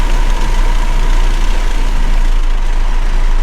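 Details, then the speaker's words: MK5 Toyota Supra, windows down at about 54 mph, before fitting Armaspeed Windblock side mirrors: heavy deep pulsing throb filling the cabin, awful reverberating bass; wind buffeting, worst at 54 mph and still heard at 60. "54 is the worst. Oh my gosh. I hope you can hear that. It is awful sounding."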